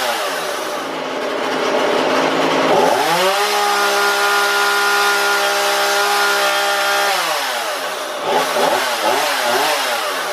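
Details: Husqvarna 235e/240 chainsaw, carburetor tuned by ear without tachometer: revs cleanly into the cut, holds steady high pitch under load with slight exhaust burble, drops back smoothly; normal cutting.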